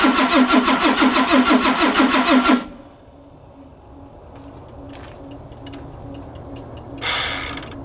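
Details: 2003 Ford F350 with 2004 Cummins 5.9 diesel, fresh rebuild and bore, new pistons, rings, injectors, FCA and FASS fuel pump: starter cranks with an even chug about three times a second for 2.5 seconds, never catches; crank no start.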